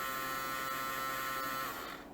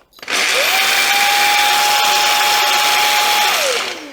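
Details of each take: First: Samsung Jet 90 Pet vacuum turbo brush small DC motor bench-run on 15 V: steady even whine then smooth spin-down; motor runs normally, noise source elsewhere. Normal motor run. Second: Samsung Jet 90 Pet cordless vacuum, lightly used, larger turbo brush nozzle: loud, harsh whine with grinding hiss spinning up then winding down, a noise that suddenly appeared after one start; fault lies in the brush motor.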